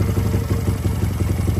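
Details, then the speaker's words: Japanese-made Honda CD 125 Twin, 125cc two-cylinder four-stroke with 4-speed gearbox and original engine, idling: an even, steady low putter with regular firing pulses and no knocks or rattles, running smoothly. "máy móc là bao anh em nguyên zin, thì máy nha, mượt mà nha này, đó, đầm keo zin nhìn chắc không, Suzuki Win mà."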